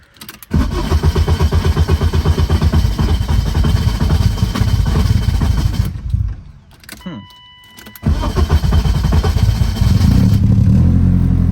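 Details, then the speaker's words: BMW E36 crank-no-start with EWS 2 deleted, after the ECU connector pins were bent back closed: steady starter churning for several seconds, a pause, then it catches and settles to an even idle. The fault was opened-up ECU pins; repinning is likely. "Alright, there we go. So it's definitely something to do with those ECU connectors."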